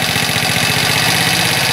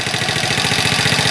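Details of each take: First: Chinese ATV single-cylinder engine warming up on choke after first start: busy, rattly, fast idle with the pace creeping upward as it warms; idle will probably need adjusting after about 10 minutes of warm-up. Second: Chinese ATV single-cylinder engine just after starting on choke, following spark plug work: quick, even putter with steady beat, no knocks or misses; idle set well, normal.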